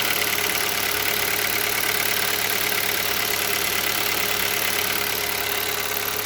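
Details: Hyundai Solaris 1.6 cold start: light, uneven tapping about three per second over a busy hiss at cold idle; engine knock when cold, cause unknown.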